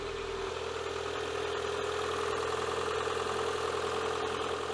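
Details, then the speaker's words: Renault Clio 2 1.2 16v (D4F 722) after timing belt, tensioner and water pump replacement: smooth, even idle with steady hum and no screech, whine or knock; all sounds pretty good before fast idle at 1200–1500 rpm. "screeching whining anything like that all sounds pretty good"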